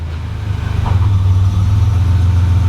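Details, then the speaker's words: 1987 Buick Grand National after swapping the failing Power Master for a vacuum brake booster: with foot on the firm brake pedal it is shifted into gear. The idle drops normally and holds a smooth, even idle with the brakes holding. "so now what i'm gonna do put my foot on the brake put it in gear you can hear the motor drop"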